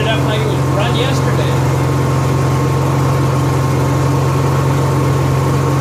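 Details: Honda EXW171S welder generator, sat in a barn over 5 years, run indoors after choke warm-up: deep, even, quiet hum with no misses or knocks, smooth constant drone; normal running.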